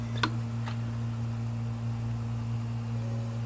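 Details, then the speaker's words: Hard drive previously frozen, after head replacement, powered up on a data-recovery imager: steady low hum with faint high whine, no clicking or scraping. Spins up and heads work normally. "Okay, for a second there I didn't think it was going to spin up even. So it's in a busy state here. Looks like the heads took, so that's good"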